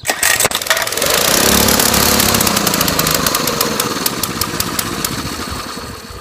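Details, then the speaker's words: Mini-bike small engine, first start attempt after sitting 6 years, new gas, spark plug good, sprayed with starting fluid: catches with a few sharp pops, revs briefly, then sputters and fades; won't stay running, cause unconfirmed; owner next cleans air filter. "oh it's almost there it wants to live so bad okay oh we're getting there"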